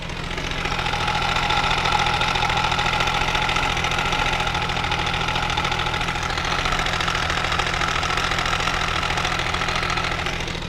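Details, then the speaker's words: Benelli 899 TNT with a fully stretched timing chain; plugs, injectors and coil checked, no sensor codes: uneven idle with a fast, loose metallic chatter from the chain area. "ya sabemos que la cadena de tiempo se encontraba totalmente estirada pero ya llegó a su punto máximo no sé si llegan a apreciar el sonido que está haciendo la cadena"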